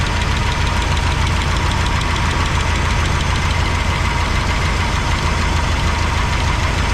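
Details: 1985 GMC C25 with valve cover off during valve check: steady rapid ticking about three per second over a loud rough idle; suspected loose valve lash, not confirmed.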